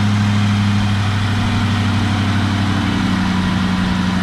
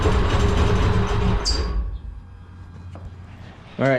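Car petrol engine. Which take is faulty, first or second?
second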